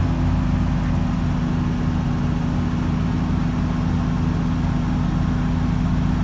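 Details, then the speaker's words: V8 with carburetor, first start of the season: deep rumble with uneven loping idle that never settles; runs well but won't idle. Owner suspects a vacuum leak from reused old carb gaskets coated in WD40; carb modified. "I mean it it runs good sounds good but but it just doesn't want to idle quite yet"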